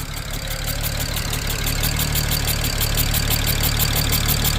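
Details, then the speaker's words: 2007 BMW 335xi just revived from non-running, coil packs replaced with used OEM ones: uneven idle with a regular puffing tick about three per second, engine rocking; misfire, owner suspects possible exhaust leak, injectors sound fine. "Definitely a misfire, though. I can see the engine kind of rocking back and forth a little bit."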